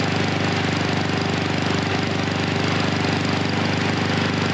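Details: Husqvarna HU 700F mower with choke that slips back on after the lever is pulled off. The engine labours with a lumpy, irregular beat of about two pulses a second, running rich and rough with the choke stuck on.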